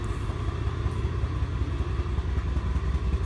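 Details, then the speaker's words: 1988 Acura Legend just started after sitting 10 years, on old gas with a used ECU: deep, lumpy, uneven idle that shakes the whole car like a tractor and won't rev much. Owner plans a fuel filter, cap, rotor and plug wires. Rough running. "nó còn sống chủ yếu nó thô thực sự thô động cơ rung toàn bộ xe rung"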